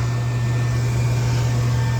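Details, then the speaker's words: New OEM 1.3 A inducer motor on a Rheem furnace after replacing the noisy old one: steady smooth low hum with no rattle or scrape; amps good, sounds much better than the old motor. "Amps are good, and it sounds way better than this one here."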